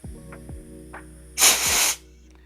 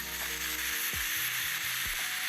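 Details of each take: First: Gas blowback airsoft magazine after filling: a sharp half-second hiss between light clicks as gas leaks from the fill valve in the base. Possible causes are a dry O-ring or the valve loosened by vibration. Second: Tokyo Marui-type gas blowback airsoft magazine being filled with gas to diagnose leaks: steady airy high hiss with faint low clicks during fill, normal for Tokyo Marui (WE Tech may be silent); a fill valve leak at the base shows afterward.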